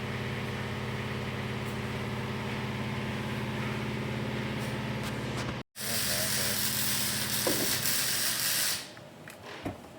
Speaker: Hear how it's like the same sound the whole time? It doesn't like change. That means he's got the wire speed dialed.